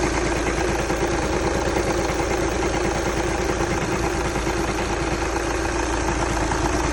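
Diesel idle with a regular knocking, a bit over two a second, sitting on top of the usual clatter; cause unknown.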